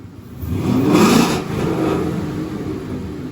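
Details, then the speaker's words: Gen 2 Coyote V8 S550 Mustang RTR after replacing bank 1 VVT sensors and clearing codes: two quick revs up past 3,000 rpm, smooth swell and return, no misfire, knock or rattle, no check engine light; normal revving. "then we're gonna have Gabby pop inside here and give her a few revs, quick twice and bring it up over 3,000."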